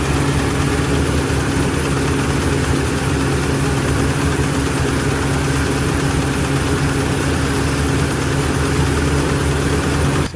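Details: 2015 Ford Super Duty 6.2L V8 still misfiring after new plugs and coils: deep idle with an uneven lumpy beat and a missing pulse; one cylinder dead.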